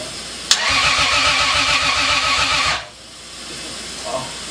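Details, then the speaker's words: Big-turbo Lexus GS300 down a year and a half, first start attempt with coil packs now plugged in: starter churns about four beats a second for two seconds and never fires; ECU kept reverting to default tune. "So yesterday we tried to get it running, but we tried to crank it. Yeah, for the first one I forgot to plug my coil packs in, but then we just kept trying, and it just wasn't really working."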